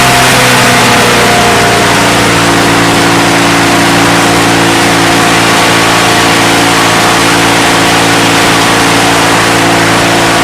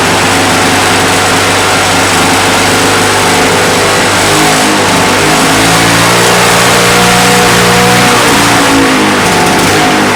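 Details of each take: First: Discarded Victa Mustang 20 two-stroke lawnmower engine, salvaged and first run after neglect: loud raspy buzz with uneven, wavering note and some smoke; running rough, a couple of issues suspected, not confirmed. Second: Roadside-dumped, neglected Victa Mustang 20 two-stroke lawnmower restarted after refuelling and priming: revs up cleanly with a crisp, even buzz and no misfires or stumbling, though some smoke comes off the engine and the owner suspects remaining issues.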